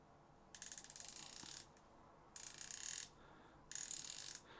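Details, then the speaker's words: SoloKing (Doviello) Acura Pro BFS baitcasting reel, new: line pulled off the spool gives fast, crisp, even bursts of drag clicker clicking; refined, normal sound. "it feels good it feels very very refined very nice sound I like it then drag adjuster it has clicks nice positive clicks"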